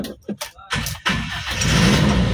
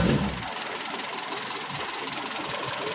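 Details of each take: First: Toyota Kijang Super engine just rebuilt after overhaul, fresh oil, first start: cranks briefly, catches straight away and settles into a steady, even idle with no stumble or miss, no longer limping like before; normal start. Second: Toyota Kijang Super, first start after engine overhaul, cold: slightly uneven, lumpy idle with some tapping but no dead miss; owner attributes roughness to oil not yet fully circulated, valves to be adjusted at operating temperature; rough idle.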